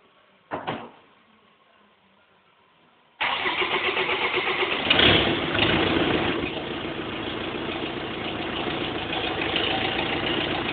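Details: BMW E46 320d 150hp diesel, first start after engine overhaul fixing swirl flap failure: starter, catches at once, blips briefly, settles into even steady clatter at idle; running smoothly.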